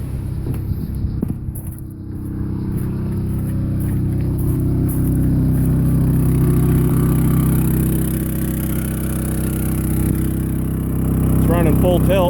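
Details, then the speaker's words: Champion 3100 W inverter generator running an RV 13,500 BTU air conditioner on high plus an 1100 W microwave: engine speed climbs and holds a steady, even drone under heavy load, with no surging or knocking. "there's a generator rev up out there a little bit more let's go hear it run"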